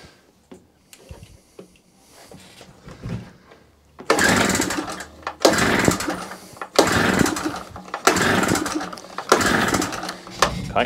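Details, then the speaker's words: Salvaged small two-stroke generator that wouldn't run, on choke, old unchanged spark plug: repeated recoil pulls about every 1.5 s, engine spins but never fires; weak spark from old plug, fuel present. "The plug in there is not new. And the spark wasn't brilliant."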